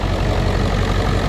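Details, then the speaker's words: 2001 Ford F-450 7.3 diesel after fixing wiring and injectors that left it running on 4 cylinders (codes P1316, P1271/P1274/P1275): deep steady idle clatter with no misfire or stumble once pressure builds past 500; normal idle after repair. "once she builds past 500 she's gonna run and she seems to be running pretty smooth right here all right well i think the wiring and the uh injectors fix that problem"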